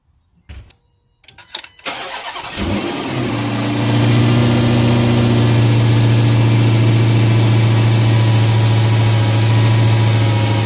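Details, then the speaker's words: Dodge Hellcat supercharged V8 with stock air filter, before K&N drop-in: starts and runs deep and steady with only mild supercharger whine, normal. "okay so that's what the stock air filter sounds pretty good sounds pretty beefy but not a really really super large supercharger whine"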